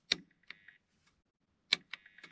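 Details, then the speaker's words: 1997-2001 Honda CR-V central power door locks: locking works, but unlocking only gives sharp single clicks with no actuator movement; the circuit board was found rusty and corroded. "and now I'm going to lock it and see if it works yeah it does and on trying to unlock it and it's not working as you can hear cannot unlock it"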